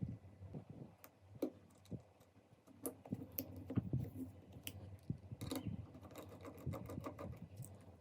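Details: Seagate desktop hard drive suddenly failed, making sharp, uneven, constant knocking clicks over a low hum; all data was lost.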